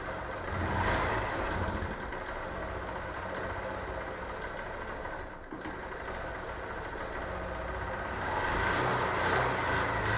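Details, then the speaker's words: Wrecked 2014 Honda CBF 125 idling after first start, owner says it needs valve adjustment: steady tapping about three times a second over exhaust; valve lash, timing chain rattle or piston pin suspected, unconfirmed. "so what do you think do we have a timing chain rattle a piston pin r"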